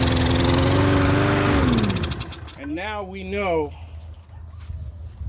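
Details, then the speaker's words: Troy-Bilt self-propelled mower with Briggs engine, primed with carb spray and full of fuel: took seven to nine pulls; runs briefly then sags and dies within two seconds, stalling when tilted. "you can see we're full of fuel and it still didn't start until the seventh eighth eight or nine poles and when i tilted it it still wanted to stall and run like crap"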